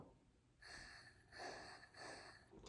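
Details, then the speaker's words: 2010 Subaru Forester engine out of the car, crank turned clockwise by hand while finding top dead center: soft short puffs of air hiss out as the cylinder comes up on compression, ahead of a leak-down test. "so I'm gonna turn the crank clockwise until I hear air coming out"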